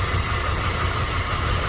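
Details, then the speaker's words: 1997 Dodge Dakota 3.9 V6, after new timing chain, heads, O2 sensors and sensors (had bogging and backfire), new battery, first start: steady smooth low drone, no misses, engine no longer shaking. Normal idle. "But you see how the engine's not even shaking? Yeah. It's like smooth."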